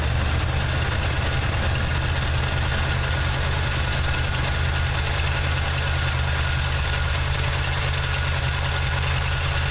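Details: 1979 Chevy truck with a 350 V8 and automatic choke at idle: a deep, lumpy beat with occasional dropped pulses shows a persistent misfire. Compression and spark plugs look clean with no oil or fuel fouling, and the cause is still unknown.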